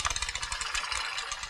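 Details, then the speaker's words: SRAM Yaw front derailleur during inner limit screw adjustment, shifter cable released, chain in largest rear cog: light rapid scraping rasp each pedal stroke as chain rubs front derailleur cage; fixed by backing off the limit screw until rubbing stops. "You see how it's rubbing there in the front, so we're going to continue to back this"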